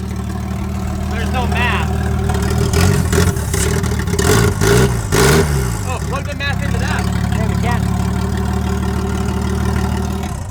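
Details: Nissan GT-R after new spark plugs and coil packs refitted, fixing a number three cylinder that had no spark: fires and settles to a steady, even idle, then picks up cleanly through blips; healthy, no misfire.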